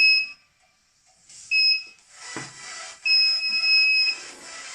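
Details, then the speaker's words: DIY mini spot welder after replacing a damaged MOSFET, reconnected to the battery and switched on: high steady beeps in short clean regular bursts, no odd tones; booting is normal. "the booting is okay."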